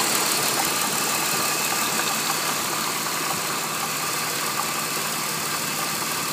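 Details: BMW E46 at idle: busy, hissy clattering rattle over a steady idle, not fading; turned out to be a defective water pump, replaced with the glass-fibre-reinforced original BMW pump; water pump bearing clatter.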